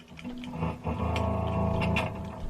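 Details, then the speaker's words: Wampler Pinnacle Deluxe guitar pedal after rewiring the connectors: guitar notes break into scratchy crackles and pops when the bypass footswitch is touched. The owner thinks the switch is bad, and it was later replaced. "when i touch this switch it makes noise we still have to we have to replace this switch i think it's bad"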